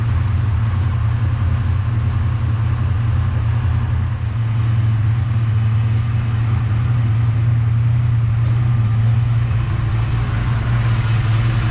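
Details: Ford Mustang (Fox body) turbo 363 stroker, turbo kit about 20 years old fitted last year, after fixing a long-standing exhaust-side tick; deep even idle rumble, no ticking or puffing, exhaust sealed; normal idle.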